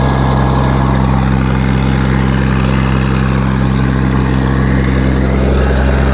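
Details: Case 1450B dozer with a freshly rebuilt diesel engine, blow-by checked after a throttle blip: steady, even low idle rumble with no misses, knocks or hunting. Oil pressure is about 27 psi at idle before full warm-up, and the engine is healthy and settled.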